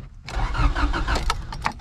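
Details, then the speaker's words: RHD Acura Integra, long-sitting, started on a temporarily borrowed battery after fitting junkyard Honda CR-V and Prelude parts: brief crank, catches cleanly, steady even idle with no stumbling; sounds healthy. "cette chose fonctionne assez bien pour s'asseoir pour quelque chose mec ça sonne si sain"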